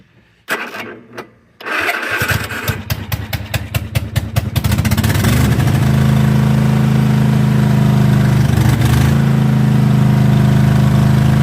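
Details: Cub Cadet zero-turn mower started on choke after an oil and filter change and new primed fuel filters; it sputters on the pull, then a steady, loud, blatty unmuffled drone. Loud exhaust.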